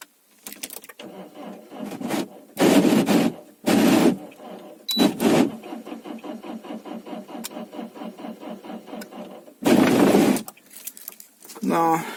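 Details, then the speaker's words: Diesel 2.0 HDI with discharged battery (about 11.5 V), cranked using a fully charged 16000 mAh-rated booster: starter turns slowly in labored bursts with pauses between tries, never catches; booster lacks current, slow cranking, no start. "coś booster sobie nie radzi. Jeszcze raz spróbujemy. Był w pełni naładowany."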